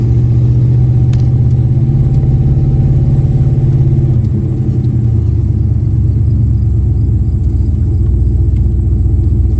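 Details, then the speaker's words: Turbo Dodge Diplomat V8 test run after a relay box fix thought to cure a spark issue and charging problem; deep steady low rumble holding through a slight load change, no misses or stumbles, running as good as ever. "She is back. I am happy. I would say after that test run, it is running as good as it ever has."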